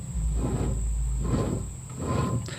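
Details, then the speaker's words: 2004 Mercedes C320 4Matic, about 170–180k miles, front wheel bearing spun by hand with hub nut off: low gritty rumble swelling and fading; hub moves up and down, left and right, so the worn bearing needs replacing. "all right kids men women wherever you are whatever you're watching if you want to learn this wool bearing is bad too listen to this"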